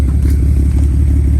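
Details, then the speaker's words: BMW N54 engine: heavy, lumpy idle with an uneven low pulse like a cammed engine; owner suspects one cylinder is down on compression and plans a compression test. "Well, let's see. It's still got that lumpy idle."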